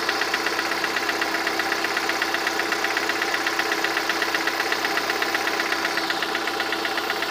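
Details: Lada VAZ-21126 engine at idle with a sharp even tapping about four times a second, clearest near the end; engine knock, source unknown.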